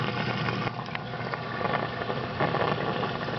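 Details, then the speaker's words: 220 reef tank sump protein skimmer air intake pipe before muffler fitted: constant loud rushing hiss of air through tubing, no pumping rhythm; noisy intake, later silenced by a muffler. "But let me put it on here. Now you get another listen to this pipe."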